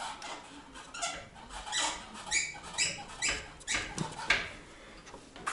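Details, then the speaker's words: VAZ 2106 Lada (60,000 km) after new clutch slave cylinder, hoses and reservoir and bleeding: repeated high chirpy squeaks with each pedal press and release, heard under the hood; source unconfirmed, possibly spring or slave cylinder, lubricant reduced it. "также завел тормозуху все прокачал правда какой то скрип появился сейчас послушать как звучит это где-то там под капотом"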